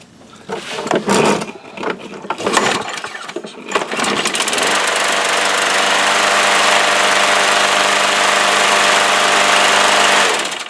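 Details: Troy-Bilt mower with Briggs flathead engine after full tune-up and badly neglected carburettor cleaned: after a couple of pulls, steady even high buzz with no misses or surging; runs healthy.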